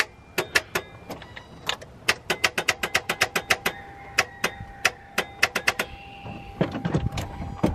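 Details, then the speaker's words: Infiniti G35 that previously ran: sharp dry clicks, three or four a second, with no cranking or firing; full fuel tank shown, owner suspects starter; starter clicking, no crank. "so we had a little scared and try to start again so we still getting this clicking noise"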